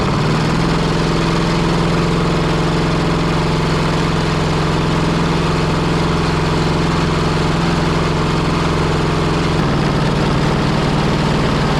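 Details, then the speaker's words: Pony engine of a 1945 Caterpillar D7 3T that sat over 40 years, restarted while trying to engage the main engine, which won't turn over: steady chug with a repeating tap of three to four a second; knocking, glitter in the oil, owner suspects it may have locked up. "Maybe maybe that pony engine just locked up. It was knocking pretty good."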